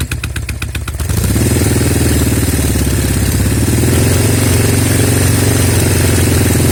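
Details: Norton Commando twin starting and running with an uneven, stumbling beat and dropped pulses through idle and revs: left-side misfire, smoke from left on throttle; carbs, ignition, plugs, cables ruled out, no air leak found.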